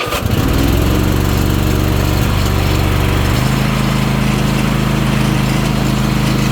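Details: Ariens Apex mower with a Kohler 7000 series V-twin, about 238–239 hours; fuel filter reportedly replaced, oil checked. It chugs unevenly at fast idle, then stays lumpy: rough running with power loss, possibly on one cylinder, cause unconfirmed.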